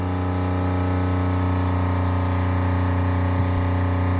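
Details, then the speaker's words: Newly installed 12V 65 L/h sailboat watermaker, high pressure rising, flow above 60 L/h: steady, even low drone with constant hum, no knocks or surging; pump runs smoothly under load. "Bon, voilà, je peux monter à 50 barres. Donc là, on est en E1, donc le débit est supérieur au 60 L."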